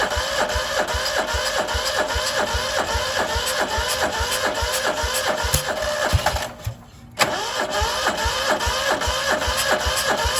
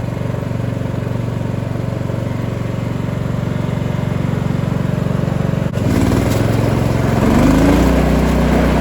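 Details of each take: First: Cub Cadet 2146 lawn tractor, 14 hp single-cylinder Linamar engine, sat 3 years; frozen choke, weak battery, full throttle: slow regular cranking two or three pulses a second, pause, more cranking, never catches. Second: Cub Cadet 2146 lawn tractor, 14 hp single-cylinder Linamar engine, revived after 3 years sitting, idling to get hot before oil change: steady even single-cylinder chug, slight rise near end; normal idle.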